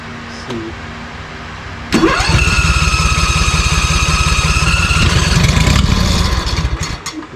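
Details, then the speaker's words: ZT200 mower with a replacement engine: starter spins it at a fast steady chug for about five seconds without catching, then winds down; fuel solenoid was suspected earlier, now suspected fuel pump not priming enough. "Suspect fuel pump's not priming enough."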